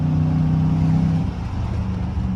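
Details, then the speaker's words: Used pickup with 6.0 diesel on test drive; deep steady drone pulling evenly under acceleration with road noise, no knocks or misses, no check engine light, oil pressure rising with throttle, healthy. "6.0 gets up, man. No check engine light or nothing."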